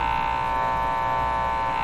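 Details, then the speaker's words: 1935 Rogers Model 7R622 tube radio producing a steady, buzzy electrical hum at switch-on. The hum stops with a different output tube fitted and returns when the original tubes go back in. Tube replacement is being tried; the cause is not yet confirmed. "okay let's start with turning it on and hearing the hum okay here we yep hear the hum there be the hump"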